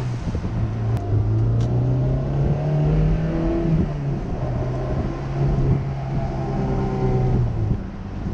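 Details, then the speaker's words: Honda S2000 engine revved in neutral after a misfire check-engine fault, with no dash lights now; pitch rises and falls smoothly without stumble or bogging, running much better. "Oh something I want to do I wanted to put the engine under load it's doing neutral make sure it wasn't bogged down no she looks pretty good"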